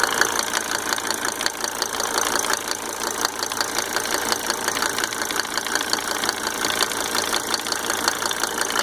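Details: Mercedes 300D W124 2.5-liter diesel, just fitted with five newly rebuilt injectors with Monarch nozzles: a sharp, light tick roughly three times a second over a steady idle; source still unknown.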